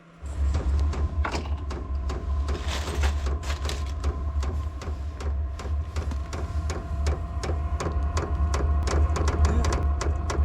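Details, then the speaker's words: Heater powered by a REDODO LiFePO4 battery at an off-grid cabin in snow: steady low hum with rapid light ticking of the fuel pump as the fan builds speed; normal startup with modest power draw. "Of course, you can hear the heater now. It's starting to pick up a little speed. You can hear the fuel pump running, and so a little bit of power draw, and we have enough there."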